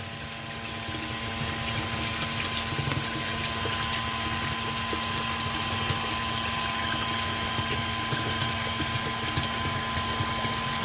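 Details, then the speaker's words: Sump pump in a flooded parking space, pipe not glued and no weep hole; steady motor hum and fixed drone with faint water wash but no pumping surge, air-locked; a weep hole installed and the check valve cleaned. "I bet you it's air locked that's not even glued look at that look look it's not even glued and there's no there's no weep pole"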